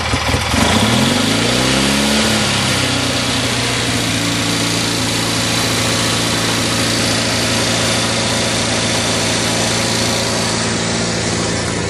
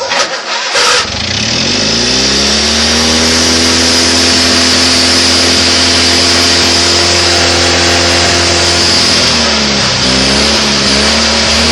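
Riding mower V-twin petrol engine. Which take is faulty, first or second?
first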